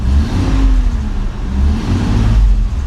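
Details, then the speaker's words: Hurricane-flooded Nissan 300ZX restart: engine picks up cleanly and settles back, smooth and even through the revs with no knocks or rattles; runs great, normal revving. "There we go. I mean, it sounds good. Sounds great. Runs great."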